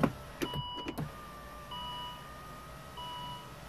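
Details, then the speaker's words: 2014 Volvo XC60 electric window, after fault finding and repair of fault B118E00 and operating through the switch with ignition on: two short, even motor whirs as glass goes down then up, no grinding or straining; window working normally. "so it does it automatically. There we go. So, goes down now."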